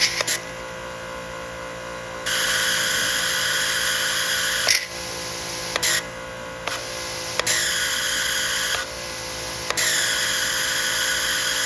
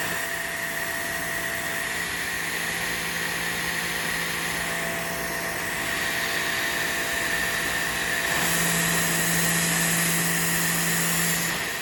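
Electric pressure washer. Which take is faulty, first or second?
first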